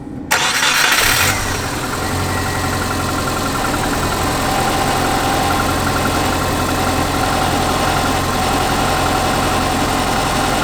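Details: Subaru Forester after replacing the failing timing belt tensioner (whole timing belt kit): quick clean crank and catch, then settled, even idle without rattle or slap from the engine front; sounds healthy.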